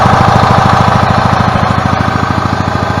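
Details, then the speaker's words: 2012 EZGO TXT gas golf cart after charging fix, battery charger off, engine at low RPM: steady even low thumping about 200 beats a minute, no misses or knocks; running normally and now charging the battery. "all right guys got my battery charger off and my cart running and as you can see with it barely putting any RPMs out it is charging the battery so we have fixed the charging"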